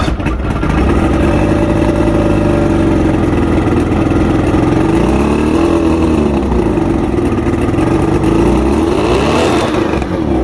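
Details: Two-stroke outboard, fully rebuilt with all-new electronics after three weeks chasing rough idle, surging and misfires: clean, even beat with smooth rise and fall in revs, no misses or surging; now running right.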